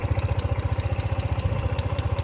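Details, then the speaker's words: Honda ADV 150 scooter on its stand, started just after a NOCO NLP5 lithium battery replaced the weak original: steady, even idle thump at around twelve beats a second, with no misses or knocks. Normal idle. "All right, now that it's on its stand, let's start it. It's got power."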